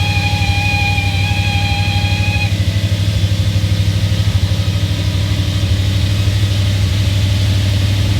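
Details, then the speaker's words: B7 Audi RS4, first start after a hard reset and battery reconnection, about minus 10 °C: a steady high squeal over the cold idle stops on its own after about two seconds; the owner could not locate the source. "That's the loudest the sound has ever been. It is probably like minus 10 Celsius out here. But it went away on its own right away."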